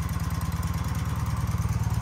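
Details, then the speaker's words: BMW R75 airhead boxer twin with Bing carburetors at idle during carb synchronization, idle screws balanced to the middle: even, regular low chuffing with no stumbles or uneven beats; the twin idles smoothly. "bring it right in the middle you can kind of hear the engine smooth out there so that's pretty good to have it right there at idle right away"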